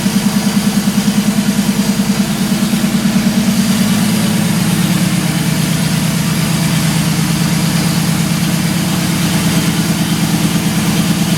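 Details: Turbo Vortec 4200 DOHC VVT inline-six in 1983 Ford Fairmont Futura, first start: steady, even idle with smooth regular pulse, no knocks or misfires; running healthy.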